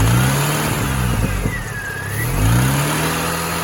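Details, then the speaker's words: Mini Cooper S R53 driving downhill in second gear: engine note rises and falls with road speed, with a short patch of loose knocking; rattle and vibration, no power loss, doesn't seem engine-based; source not found. "it sounds like something's rattling away but it doesn't sound particularly engine based"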